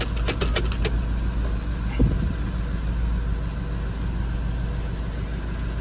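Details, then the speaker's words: 6.0 Powerstroke F550 diesel after IPR work, first start: starter clatter then uneven loping idle while air is pushed out of the high-pressure oil system; ICP pressure higher than before, heavy smoke, owner suspects a stuck injector. "it's gonna run rough when you first start it after you do that because you essentially let all the air escape out of it so it's going to take a little while for it to push the air out of the system"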